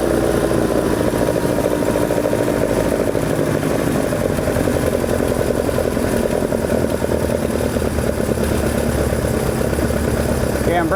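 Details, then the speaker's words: 2 L engine on oversized 45 carburettors with big jets, velocity stacks and large chokes: low, lumpy, uneven chattering idle; rough idle because the carbs are too big. "this is the age old problem of too big is just simply too big we have these massive 40 5s with massive Jets and velocity stacks and all these wonderful things but at the end of the day it's got gigantic chokes in it"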